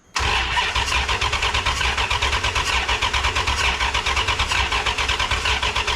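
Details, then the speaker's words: Rebuilt 5.9 Magnum V8 in a 1996 Ram, cranked on a jumper hooked up from another truck's battery, and fuel smelled. The starter churns in steady pulses, about five a second, but never catches: no spark, because the coil plug was unplugged. "so this plug that goes into the coil that was unplugged this is not getting any power up to this point well nothing was working nothing was working"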